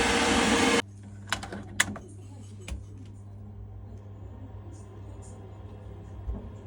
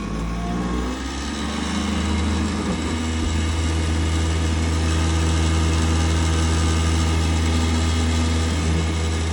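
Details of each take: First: Worcester Bosch combi boiler after replacing the failed noisy fan and setting max/min gas: quiet, steady low hum with a few light clicks, no rattle; running normally. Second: Worcester Bosch 30 SI combi boiler (GC 473185), heard with the case off: loud, steady mechanical roar and deep droning hum from the worn-out fan. The boiler still gave heating and hot water, but the fan had failed and needed replacing.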